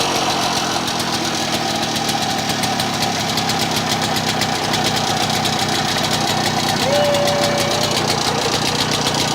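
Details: Old Victa Impulse Start Utility two-stroke mower, as found, running and mowing: a steady, even buzz with crisp, regular firing and no misses. It runs fine.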